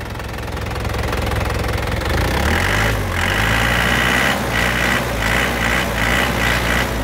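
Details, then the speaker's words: 2010 Isuzu Panther LM Smart Turbo diesel, manual; settles from a steady idle into a firm rev, clatter even and solid with no odd knocks, sounds healthy. "Nah untuk suaranya masih enak banget, masih kempel."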